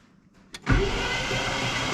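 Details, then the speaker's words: 1968 Cadillac Eldorado V8, sat 20+ years, cranking in park with spark plugs out: fast, even whirr, no binding or grinding; cranks freely, oil light goes out after about 5 seconds, good oil pressure. "We are ready to crank this engine over and listen to a plug out."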